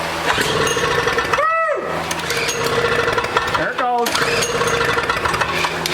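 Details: Toro CCR 3650 snowblower, started after an ignition coil replacement and possibly flooded from being flipped, so run without choke. Small two-stroke buzzes at a steady high pitch with no stumbling; running normally.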